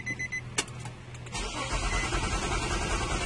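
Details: 2005 Nissan Maxima won't start: after a few chimes the starter cranks in an even rhythm but the engine never catches; crank no-start from a bad ignition coil.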